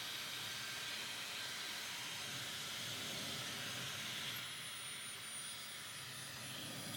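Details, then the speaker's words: Dyson Supersonic HD03 hairdryer: steady rushing airflow with a thin, high whine that dips midway as the fan labours, with a horrible smell, then flashing lights and shutdown. Filter is clean. "Flashing lights goes off. Filter looks fine. So it just seems like it's laboring like the fans just laboring."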